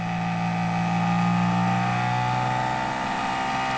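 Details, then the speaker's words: Flux gate generator rotor driven by DC motor via PWM from nearly dead battery around 10 volts, generator parts underneath removed; steady whirring hum at constant speed, spinning far better with no rubbing or drag; normal running. "see is running nothing [Music] special the battery is really uh yeah almost dead as you can see the spinning now far better of course there's nothing under there now"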